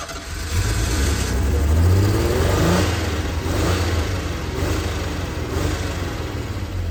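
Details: 1976 Ford Pinto that shut off on highway with 2 gallons fuel in tank: rapid cranking about four beats a second, low heavy churn never reaching idle; won't fire. Owner suspects choke sucking shut, burnt fuel pump or disconnected wiring.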